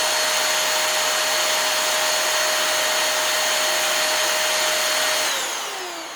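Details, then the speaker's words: Hoover Air Steerable vacuum motor, about 5 years old, bench-run after a commutator polish (bearings had been a worry): steady high-pitched whine, smooth and even, winding down cleanly with no grinding; the noise was likely just a dirty commutator. "Well, I'm not hearing anything too weird with that, so it might just have been a really dirty commutator."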